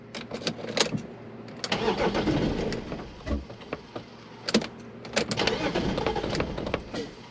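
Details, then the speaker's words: BMW E36 that sat unused, crank-no-start: repeated cranking with ragged, uneven catches that run briefly then die out, with heavy smoke from oil put in; owner suspects stuck piston rings. "starts well it started and i got it to run there for a little while but as soon as i let it shut off it uh it died off again"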